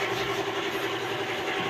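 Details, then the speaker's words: Suzuki Multicab engine running after the low oil pressure fix and a valve clearance readjustment: steady running with only a faint, even valve patter and no sharp tapping. Valve noise reduced, clearances correct. "Nabawasan na yung ingay."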